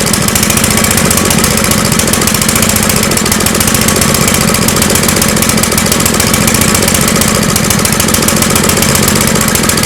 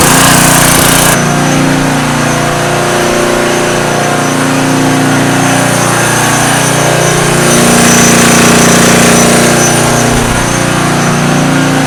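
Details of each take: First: Small engine running on a homemade tri-fuel conversion kit; fast, uneven chuffing with a ragged, hunting beat and no steady rhythm: rough running, seemingly fuel-starved. Owner suspects the hose's tiny inner diameter restricts flow; unconfirmed. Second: Homemade tri-fuel conversion on a small single-cylinder engine, new petcock and inline fuel filter fitted, started on full choke with propane off: catches and settles into a quick, even putter, steady pitch, no misses; normal running.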